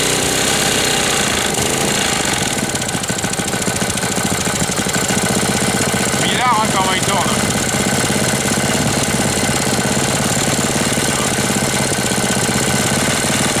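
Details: 1998 Briggs & Stratton 60 Intek Edge 6hp, after oil change and leak repair, running fast at zero throttle: a loud, fast, uneven clatter and knock, as if about to seize despite correct oil level. It dies on its own; cause unconfirmed.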